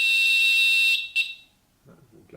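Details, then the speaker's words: Netatmo smart smoke detector, alarm test triggered from the app: loud steady 85-decibel high-pitched siren holds about a second then cuts off, with volume reduced for recording; working normally. "Et donc il y a une alarme de 85 décibels."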